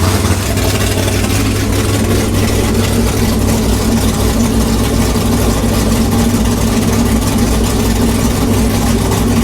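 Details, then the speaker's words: 6th-gen Camaro V8 with new cam, heads and intake, dyno-tuned with valve lash set: loud, choppy, lumpy cam idle holding steady and even, louder and rowdier than the previous engine; normal healthy cammed V8 idle. "Sounds like a monster. Dang, that's a little bit louder than the last engine. Yeah. Sounds rowdy."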